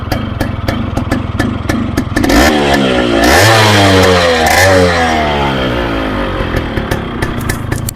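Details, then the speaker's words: Yamaha RX135 two-stroke after engine rebuild with cracked crankcase repaired, bore resized, Thai-made piston and gearbox work: crisp kick start into a steady popping idle, then clean rising revs settling back without misses; healthy running. "మీరైతే vehicle starting కూడా చూడొచ్చు ఎంత మంచిగా start అవుతుందో"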